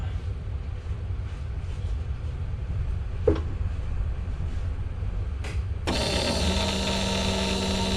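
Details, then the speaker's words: Saab 99 electric fuel pump at key-on after relay mod with new wiring to fix blown fuses: steady even hum holding constant, pump getting 12 volts and running healthy. "And you can hear the fuel even run healthy all the way to the front of the car."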